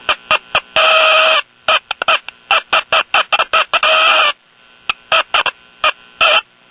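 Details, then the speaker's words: Late-1950s Japanese-built Londala tube radio on the bench: loud shrill squeals cutting in and out as resistor, capacitor and other under-chassis parts are touched; intermittent oscillation, poor connection suspected. "when i move that resistor it screams in pain that capacitor well heck just about everything under here i touch it screams in pain"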